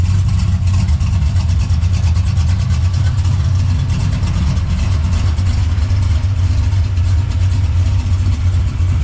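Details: LS-swapped Box Chevy wagon V8, partly tuned on a janky swap harness (new harness ordered): deep, choppy rumble rolling unevenly but steady at idle, idling pretty good; normal cammed idle.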